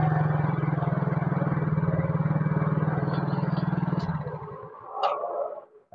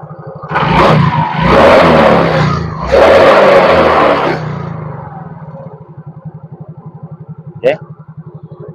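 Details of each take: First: Yamaha Mio GT single-cylinder scooter with faulty idle speed (ESC) sensor: steady putter briefly, then sags almost to a stall and picks up again; unstable hunting idle before the manual sensor fix. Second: Yamaha Mio GT single-cylinder scooter after replacing the failing idle speed (ESC) sensor with a manual adjustable workaround: after throttle blips it returns to an even steady idle putter, no hunting or surging.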